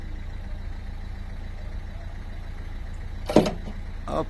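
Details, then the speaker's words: Renault Mégane 3 phase 2 1.5 dCi 110hp, tailgate unlock commanded via diagnostic tool with tailgate closed: low hum then a sharp actuator clunk and softer follow-up as the lock unlatches; the lock motor works, owner suspects the control instead. "ça le déverrouille. Donc mon moteur est bon. Le moteur est bon."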